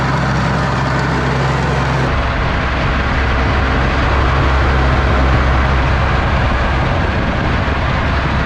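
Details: Ransomes Jaguar 4000 diesel commercial mower, 1980s-90s, sat 20-25 years in junkyard, hydraulics rebuilt with new O-rings and seals: steady even low diesel rumble, no knocks, misses or hunting; clean healthy run.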